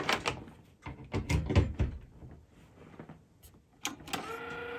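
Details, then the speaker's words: Technics RS-M245X dBx cassette deck (1983) at first power-up, door won't eject: scattered clunks and mechanism rattles, then a thin steady motor whir while the counter advances but the transport does nothing. "out well it makes a lot of noise it's trying to play right now somehow we've got the counter advancing"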